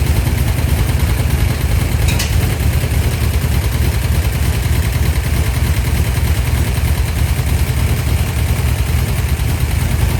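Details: 1972 Dodge D100 V8 bracket truck, first start after installing solid roller camshaft, Speedmaster 265cc heads, pushrods and rockers. Loud, low, lumpy idle, uneven beat about three pulses a second: rough running; owner says more adjustments needed.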